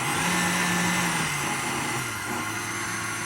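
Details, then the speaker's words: KitchenAid Artisan 325 W stand mixer test run after repair of motor not turning on and planetary gear not working, rear cover and bracket reinstalled: steady, even motor hum and gear whine, no knocks or grinding; runs well now. "It worked well now."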